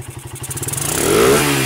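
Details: Suzuki Satria motorcycle on a test of whether it revs with the battery connected or removed: firing pulses quicken smoothly into a clean, even rev with no misses or stumbles, and the engine pulls up freely; normal revving.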